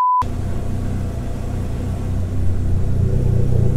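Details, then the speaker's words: Neon SRT4 running after the fuel lines and connector were reconnected to fix an intermittent fuel pump problem: steady, even low rumble that picks up slightly, with no knocks or misses. Normal running. "so it works I want to be happy but I've been here three other times so I am happy that it works"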